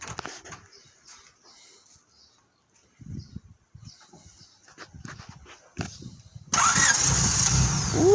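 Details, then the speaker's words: 1997 Honda that died while driving and wouldn't restart, after power confirmed on both lines: quiet fumbling, short crank at about 6.5 seconds, then engine catches into a steady run; starts normally and later idles perfectly with radiator topped up. "now topped up the radiator she's idling perfect we're gonna take it for a test drive"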